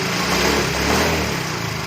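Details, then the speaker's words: Yamaha Fino 125 scooter, lightly blipped: rough running with busy clattery top-end noise and delayed throttle response; head removal found loose valve clearance adjustment, blamed on oil. "Nah, suaranya kasar banget ya, ya kan?"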